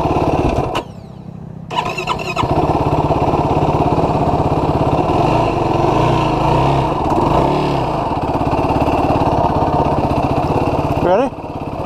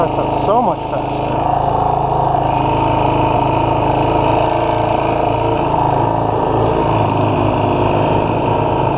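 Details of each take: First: 2016 Yamaha YFZ450R SE single-cylinder quad: it takes many cranks before catching, then stutters and flares at low RPM or low throttle; a lean factory bog, fixed by adjusting the throttle position sensor so the ECU adds fuel. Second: 2016 Yamaha YFZ450R SE riding after the throttle position sensor was adjusted to 0.81 to cure a factory low-rpm/low-throttle bog: engine pulls cleanly with a steady note and no stumble or bog.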